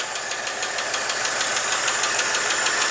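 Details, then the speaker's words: 1959 Chevrolet Apache 3100 pickup six just restarted after replacing leaking exhaust manifold gaskets, paint burning off the manifold; even idle with light steady tick about three a second, no stumbling; checking for leaks, normal idle. "gonna let it run for a while try to check for some leaks and see everything looks like it's working pretty good"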